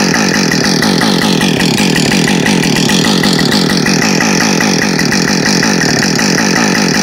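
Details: New Husqvarna 562XP Mark II chainsaw, first-ever run, warming up before timed cuts: steady high-pitched two-stroke scream at even revs, no surging or stumbling; normal running, found its tune quickly.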